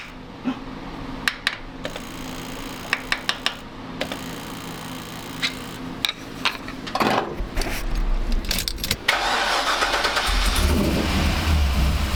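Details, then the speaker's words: 1985 Monte Carlo SS with a cammed 6.0 L LS2 swap, stored 5 years, fuel system rebuilt and stuck injectors on cylinders 1 and 7 freed. It cranks, catches and settles into a steady idle on all eight, quick throttle, no stumbling. Normal start and idle. "She sounds great! Throttle response is quick. No more stumbling. Listen to that cam"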